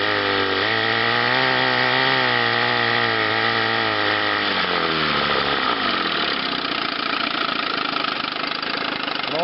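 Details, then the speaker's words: Chrysler twin-cylinder outboard on a test wheel at high speed: two-stroke buzz wavers and sags as the top cylinder, running hotter, cuts in and out; intermittent ignition misfire suspected from faulty condensers, to be checked under the flywheel. "so here and you'll have to go by the audio you can hear this fire it's only running on one there and it's got two coming in inter"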